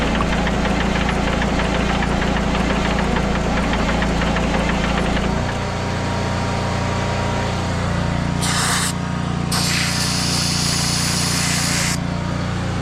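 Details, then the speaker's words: Abandoned Kenworth C500 off-highway mine truck diesel after priming and ether start; steady even idle clatter with some hissing bursts late on, fired right up and running, no air pressure yet. "oh yeah dude c500 kenor fired right up that's so awesome"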